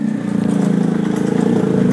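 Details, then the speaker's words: 2008 Smart car brought in for exhaust noise, started at idle with a loud raspy putter pulsing with every firing, far too coarse for the small engine; an exhaust leak. "start it up it does sound nasty i mean it doesn't even sound like a smart car sounds like a fart car"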